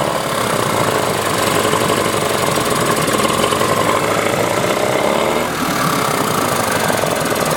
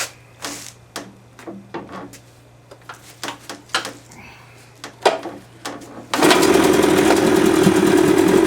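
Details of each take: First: 1994 Johnson 15 hp two-stroke outboard with impact damage, dual coil setup: uneven, ragged running with lumpy beat and no smooth idle; sounds like firing on one cylinder, gummed carburettor also suspected. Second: 1978 Johnson 25 hp short-shaft two-stroke outboard after carburetor cleaning to fix a no-start: a few pull-cord tugs and clicks, then it catches and holds a steady, even buzz. Runs properly.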